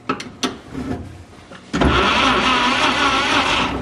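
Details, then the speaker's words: 1951 Chevy 1430 pickup straight-six, seized after years stored, now freed: starter spins it fast and evenly with no compression beats after some clunks; low compression from stuck rings. "oh yeah so it's a ring scenario"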